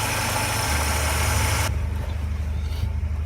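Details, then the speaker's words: Mercedes M111 engine, nearly 400,000 km, lifters had been ticking after an oil change with flush; after pan removal and oil pump repair, smooth even low idle with no ticking or knocking from the top end; normal idle. "ну что как то вот так всё собрал запустил компенсаторы не стучат"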